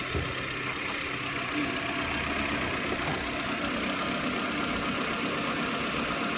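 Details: Suzuki with a P0301 cylinder 1 misfire idling with an even, steady hum and no skipped beats after the cylinder head was reworked, the tappet cover refitted and the engine restarted; smooth normal idle.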